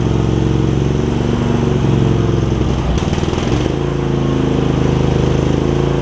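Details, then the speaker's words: Craftsman garden tractor with Kohler CV20 V-twin, before carburetor clean, just after fitting a new metal ignition switch: steady low chug that stumbles and hunts unevenly midway; rough running from a really gummed-up carburetor. "here so you can hear it that the carburetor is really pretty gummed up"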